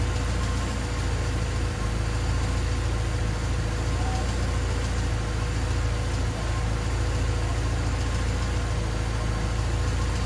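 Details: Honda D16Y8 engine on P28 ECU, idle after new spark plug wires and cleaned IACV reinstalled: low idle wavers and stumbles, sagging near stall; unstable hunting idle unchanged by wires and IACV, cause unknown.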